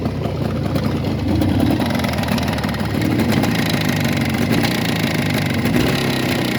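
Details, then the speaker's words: Jawa 638 12-volt motorcycle engine after new pistons and cylinders bored to fourth oversize, idling rough with a dull knock under the exhaust beat; owner suspects the central crankshaft bearing, not confirmed. "поменял поршня расточил цилиндры по 4 монд но все равно что-то стучит думаю что это центральная опора"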